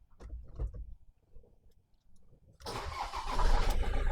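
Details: Ford Transit camper after non-start fault with blown fuse, ignition not powering up; immobilizer light now out; a few soft clicks, then diesel catches cleanly into strong, even idle; starts and runs fine.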